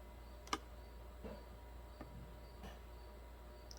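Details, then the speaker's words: 2007 Pontiac Solstice with MIL on and code P0442, EVAP vent solenoid commanded by a scan tool: a few soft, sharp clicks about a second apart in a quiet space, showing the vent solenoid switches and is not physically stuck. "hear it over my mouse click so the solenoid is not physically stuck"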